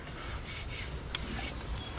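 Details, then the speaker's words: BMW E46 with turbo Ecotec swap (E46 rods and pistons, built transmission), freshly reassembled, at idle: faint dry scraping rasp over a quiet low idle; exhaust rubs the body at idle and needs tweaking over. "Looks like I need to tweak the exhaust over that way a little bit. It does rub at idle."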